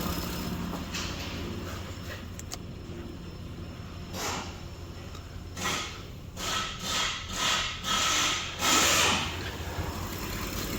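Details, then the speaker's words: 2006 Mitsubishi Pajero 3.8 L petrol V6 at idle after fixing a P0304 cylinder 4 misfire; steady even low hum, no misfire stumble, no check engine light, while something rubs and shuffles nearby. "hopefully you can hear that there's no more misfire and i'll show you there's no check engine light as well"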